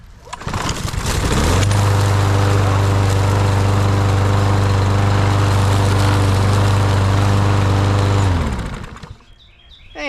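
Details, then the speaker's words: Craftsman lawn mower with Briggs & Stratton engine after replacing a clogged air filter from leaf mulching; pull-start catches into a steady, even single-cylinder beat, then shuts off cleanly; normal running. "Hey, that sounds good. So I'm ready to get to work."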